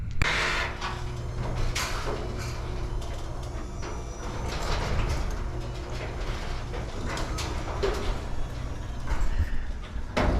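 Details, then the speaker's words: Belt-drive garage door over 12 feet tall with nearly 20-year-old steel rollers: deep rumbling grind with clunks and rattles through travel; worn rollers grinding, before replacement with nylon rollers. "But there is a way to make them quieter because they wear and grind over the years."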